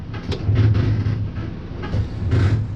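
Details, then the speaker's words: Clutch being pumped up after its lines were refilled: low thumps with each pedal stroke are the throwout bearing moving in and out, which is normal operation. "what you hear there isn't the pedal itself it is the throwout bearing [Music] going in and out which is what we want"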